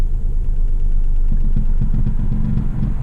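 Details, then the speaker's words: Mk2 Suzuki Swift GLS at idle, after a high curb knocked the exhaust off its hanger and split the rubbers: low rumble with a loose, fast tinny rattle about four a second from the rear; exhaust rattle from broken hanger. "you can hear that rattling in the back not sure if I've explained that in another video but basically what I did was I went down a really high curb stupidly and basically knocked the exhaust off the hanger and all the rubbers split and stuff so it is actually on it's just making a horrific horrendous rattling sound on"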